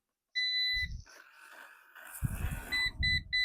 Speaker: Now, I'm going to keep the motor just in case cuz it turned out to be the battery, not the motor that was the issue.